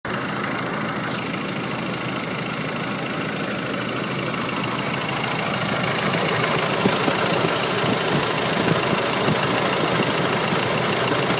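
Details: Nissan YD25 diesel at idle with a busy, rattly clatter and an uneven knock of roughly three beats a second. The source is unidentified; the owner wonders about the injectors, timing chain, belts, pulleys or turbo.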